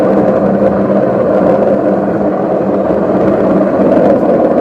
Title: Loud Bearing Noise Fix #washingmachinefix #faultfinding #repair #problemsolving